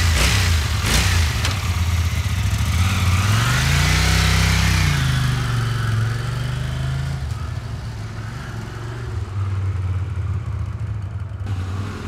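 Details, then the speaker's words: 1982 Honda CX500 twin, neglected for years: revs up then sags to a faltering, uneven idle and dies out at idle; carburetor not working properly, spark plugs on both sides black (too rich), cleaned and gapped; owner suspects removing the idle screw. "the main attraction is of course carburetor um it's just not working properly it's um it dies out when it idles"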